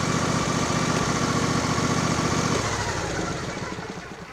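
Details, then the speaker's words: Craftsman YTS4000 riding mower bought for resale, with new spark plugs, checked air filter and fuel, dirty oil and wrong zip-tied fuel filter still fitted: small single-cylinder engine ticks over at a steady, even beat; normal idle, runs really good. "runs really good so i'm gonna lift it up"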